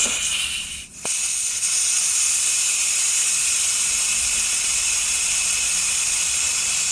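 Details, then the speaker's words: 2018 Audi A8L during air suspension compressor and valve block replacement, airline disconnected at valve block, car on jacks settling; brief pop then loud sustained high hiss of stored air escaping; air suspension line releasing stored pressure. "I can feel the car coming down. I do have jacks on it. That is a lot of air."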